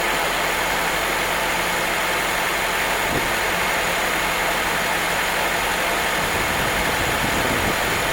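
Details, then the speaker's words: Barn-find carbureted engine after swapping the stock carb for a Weber on an adapter plate: steady, even idle under a constant hiss, smoothest it has run, no stumble; extra throttle return spring still needed; normal idle. "Now we're back to idling down. Need an additional throttle return spring. Oh man, that sounds good. It's never ran that smooth."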